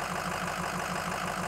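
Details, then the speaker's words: 2007 Ford F250 6.0L Power Stroke diesel, warm, idling in drive against the brake: lumpy uneven beat and felt vibration, rough idle; owner expects P0263 cylinder 1 injector contribution/balance code to return, injector electrical or fuel fault suspected. "I'm holding the truck and drive and I can feel that vibration there is something wrong again"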